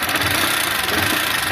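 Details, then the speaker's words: 160cc motorcycle idling: steady idle with thin fine rattly hiss, no heavy knock; mechanic attributes thin noise to worn cylinder, possibly rollers, not connecting rod. "de cilindro ó quando o barulho tá fininho assim aqui de cilindro as rodinha pode estar ruim também"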